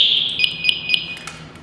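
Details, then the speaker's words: Firefighter turnout gear breathing apparatus alarm check during pre-donning inspection: loud shrill beeping at about three to four pulses a second over a quiet room; the alarm, including the manual alarm, sounds properly and works. "Alright, so the alarm works and it's very loud, so we know it works good and we can hear it."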